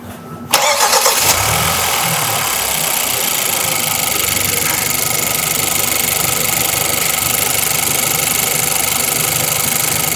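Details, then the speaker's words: 2013 Hyundai Santa Fe after a replacement engine was installed and all fluids filled, first start: catches first try and settles into a smooth, even idle with no knocks or rattles; sounds healthy. "That sounds pretty good to me."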